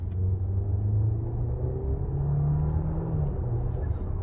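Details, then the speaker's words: 2014 Audi A4 2.0 turbo on a test drive after intake manifold gasket replacement, taking a pull to check for boost leaks: deep drone rising steadily through the revs, no hiss or flutter; feels strong, normal acceleration under boost. "It feels pretty strong."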